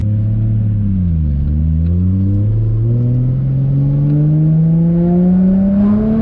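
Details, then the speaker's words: Forged, built RB25DET R33 Skyline after a test drive following cleaning and re-bleeding of the hydraulic lifters: engine note dips, then climbs smoothly under throttle with no ticking on top; lifter tick gone, straight-six sounds healthy. "do you hear that noise i don't either man the ticking noise is actually gone"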